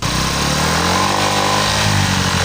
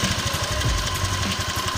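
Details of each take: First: Honda Vario 125 scooter: loud rough buzzing rattle over idle, first thought to come from the engine's right side, actually outside the engine; rear fender vibrating because its bolt was not tight. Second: Honda Vario 125 scooter after rubber spacer fitted so the rear fender bolt sits tight: engine runs with an even low thrum, only faint occasional knocks; fender rattle mostly gone.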